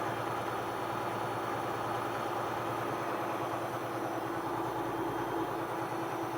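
Quiet, steady diesel idle with a low even rumble and no knocking or misfire; it sounds like it is running fine.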